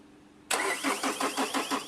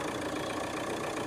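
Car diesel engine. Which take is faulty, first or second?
first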